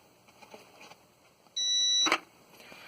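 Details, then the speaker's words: Used battery, about two months old and freshly charged, hooked to an inverter charger with solar charger disconnected, before desulfation: single shrill high beep about half a second long; inverter low battery voltage alarm, battery dead. "That is dead. That's a low battery voltage alarm. So yeah, dead battery."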